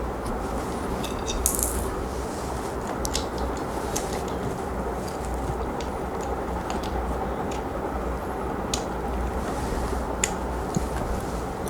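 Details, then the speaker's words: Sewing machine after a thread-jamming shuttle was removed and correctly reassembled (race ring and top ring refitted, tightened): steady even mechanical rattle, runs freely, with a faint harmless shuttle tick-tick attributed to slight looseness from first-time paper fitting. "చూడండి ఎంత ఫ్రీగా ఉంటుంది. ఫ్రీగా ఉంటుంది. కొంచెం లైట్గా sound వచ్చినా మీరు ఏం ఇబ్బంది పడకండి."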